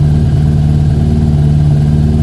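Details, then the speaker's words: Yamaha YZF1000 Thunderace 1000cc after freeing fuel lines kinked under the tank, warming on choke: smooth, even low hum with steady revs and no stumbles; normal idle. "yeah it sounds much better so yeah when you put a tank back now make sure you're not squashing or kinking any of the fuel lines which is what was happening there"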